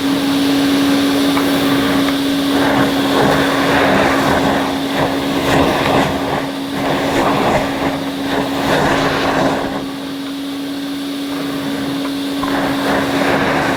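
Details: 1980 Hoover Constellation 867A floating vacuum, suppressor removed, being restored: steady, even mid-pitched motor hum with whooshing airflow that never wavers; the motor sounds fine and probably needs no teardown; normal running.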